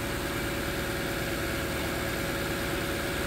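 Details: 2013 Toyota Land Cruiser 200 Series, 228k miles, V8 warming up after a cold start, radiator and upper coolant hose previously replaced: smooth, steady idle with an even low burble, no ticks, knocks or stumbles.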